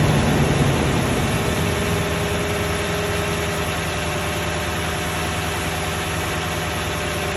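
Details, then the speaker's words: Toyota 1UR-FE V8 at steady idle with a fine, regular tapping about three per second over the low drone; the knock gets more distinct as the oil thins and oil pressure is said to drop at 1/4. Internal knock, cause unknown. "Стук еще сильнее. Ну еще отчетливее. То есть чем жиже масло, тем отчетливее стук."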